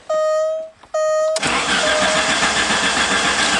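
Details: Alfa Romeo Spider, cold after sitting two winter months with full tank: short electric whine, then steady cranking, engine never catches; crank no start, owner suspects fuel pump.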